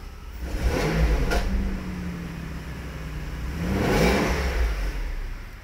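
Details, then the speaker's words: Mercedes SL600 after long storage, with bad caps and rotors and weak spark: two throttle blips rise and fall smoothly with a rough puffing edge to the exhaust note, pointing to a strong exhaust leak, not yet inspected on lift. "that is a exhaust Blow by exhaust is bad I mean it just blows really blows by real hard"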